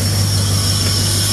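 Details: 1938 Chevy V8 idling after an oil change, with no oil leaks seen: deep, steady, smooth and even idle with no knocks or ticks; the engine sounds healthy.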